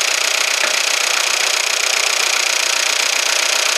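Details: Peugeot Partner 1.9 diesel after a full timing belt kit replacement, engine mount refitted, warm with the radiator fan running: an even, steady idle clatter with the fan roaring over it and no knocks or rattles; healthy idle.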